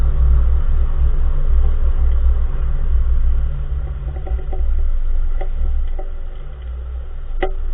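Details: 2014 Nissan March driving: heavy road rumble inside the car, broken by a few sharp, irregular clunks from the front wheel area; source unknown, front suspension clunk.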